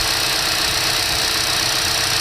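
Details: 2012 Chevy Cruze 1.4 L petrol engine idling after repair of the PCV valve built into the valve cover; an even, steady hum with no hiss or stumble, holding smoothly with no air leak.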